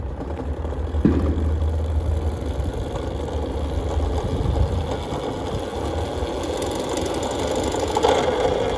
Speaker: Yeah, this motor runs pretty rough. It gets going, it's nice and smooth, but off startup, it's very, very rattly.